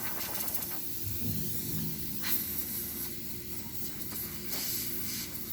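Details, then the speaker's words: Refrigerator being repaired for leak welding and gas charge, gauges at zero: compressor just started, soft uneven hissing bursts over low rumble as air is drawn out through the open capillary, pulling vacuum on the system. "El compresor acaba de arrancar y nos está sacando el aire por el capilar."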